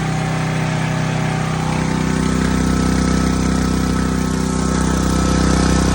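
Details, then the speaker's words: New Sportsman 4000 dual fuel gas/propane generator run with no load to circulate oil, gauge showing 120 volts; loud steady even drone at constant speed, no misses or knocks, normal no-load running. "that was loud was it quite a bit no nothing uh I didn't put no load on it but I just let it run to circulate the oil through it"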